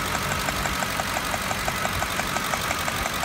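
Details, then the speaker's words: 2007 Ford F150 5.4L 3-valve Triton V8 idling with sharp, even ticking about three times a second from the valve cover area, sounding like a failed lash adjuster but caused by a loose spark plug; raw fuel smell; fix: check coil/plug torque (25 ft-lbs) cold. "to compare to the other Bank noise over here there's a definite ticking or tapping noise coming from the mouth of our area"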